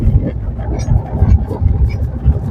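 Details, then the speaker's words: 2017 Maruti Suzuki Swift Dzire on rough road, mic under steering: only deep uneven road rumble, no knocking, after replacing the steering rack bush and both front stabilizer link rods; earlier loud rack knock is gone. "കണ്ടോ ഇപ്പൊ sound ഒക്കെ okay ആയിട്ടുണ്ട് വേറെ വലിയ കുഴപ്പമൊന്നും കാണിക്കുന്നില്ല"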